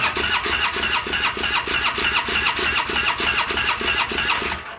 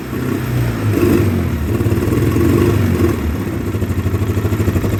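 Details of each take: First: 2009 Polaris Sportsman 800, sat about six months with dry fuel system after pump fault: fast even starter churning about three turns a second for five seconds, given throttle, never catching; needs more fuel pressure. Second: 2009 Polaris Sportsman 800, sat six months, bad fuel pump, injection cleaner in fuel, lumpy idle and weak mid-range: engine climbs hard then holds a busy fast beat, no stumble or misfire; mid-range to wide-open throttle runs great.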